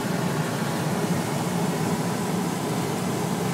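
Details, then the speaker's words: Toyota T100 truck, newly replaced heater blower motor under the dash behind the glove box (old one made a metallic high-pitched noise), key in accessory, speed test: smooth steady air rush, quiet, no rattle, scrape or squeal; normal operation. "working good it's pretty quiet everything works good"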